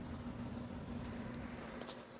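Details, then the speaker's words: Cadlights PLS-50 Elite II protein skimmer on a 30-gallon reef tank, running with air intake removed; only a faint steady low hum, no rattle, gurgle or buzz; normal quiet running. "But yeah, as you can see, it's silent. It's working, chugging away."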